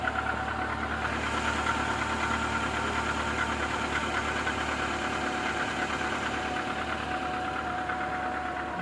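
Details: Renault Logan 1.6 K7M engine after long standstill: steady idle with a light, regular knock about three times a second tracking engine speed; knock at idle, source not pinned down.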